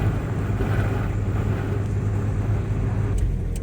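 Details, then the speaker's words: 2003 Pontiac Vibe GT 1.8L driving around town the day after replacing the driver's side wheel bearing with a Timken unit; steady low road and wind noise only, no hum, growl or grinding. "So, it's the next day of driving. just puttering around town. It sounds great. Just normal road noise at this point."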